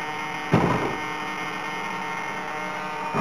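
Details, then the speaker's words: HobbyKing Su-26 50cc model, HobbyKing 15298 digital coreless aileron servos: with the Orange R910 receiver swapped for a Spektrum receiver, ailerons only, set up as flaperons, a steady low buzz with faint whine and clicks persists; cause still unknown. "so I've just completely taken the orange receiver out of circuit and plugged in the Spectrum receiver I've got at the moment the only channels I've got into the aerons um set up as a flapper on on the transmitter and as we can see the noise is still there"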